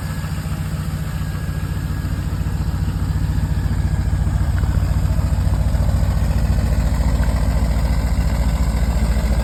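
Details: LS-swapped C3 Corvette V8 idling after exhaust leaks were fixed: deep, even rumble with steady pulses and no exhaust ticking; normal idle.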